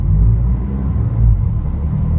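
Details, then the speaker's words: 2019 Honda Civic natural gas (CNG), 149,000 miles: deep, loud, booming exhaust rumble louder than stock; loud exhaust, owner suspects catalytic converter missing or flex pipe come off, not confirmed. "It sounds like catalytic converter fell off of it."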